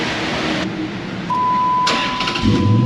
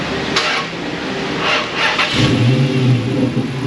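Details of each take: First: Vehicle after new battery installed: brief brisk crank that catches almost at once and settles into strong run; normal fast cranking. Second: Chrysler Hemi: sluggish, dragging crank for about two seconds before catching and idling; slow crank from bad battery; also hesitates starting, worse when warm.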